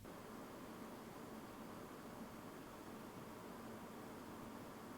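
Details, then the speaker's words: Fractal Design Mood Mini-ITX PC under TimeSpy and Cinebench R23 load, 450 W at wall; two AIO fans 1000 RPM, 180mm case fan 800 RPM, dust filter in place; ambient 24°C, CPU 90°C, GPU 79°C: soft steady whoosh, normal. "In the first test we have the two AIO fans running at 1000 RPM and the 180mm case fan at 800 RPM. The air filter is in place and the system sounds like this."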